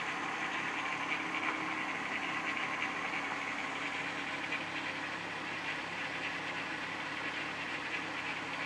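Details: 1994 VW Golf VR6 petrol engine idling: light metallic rattle and hiss from an early-stage slack timing chain, recorded before it got really bad and was replaced.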